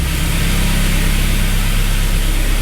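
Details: MK1 Audi TT just after head gasket job, run briefly without coolant: steady, even idle with smooth low drone, no knocks, ticks or misses; timing sounds right, no leaks.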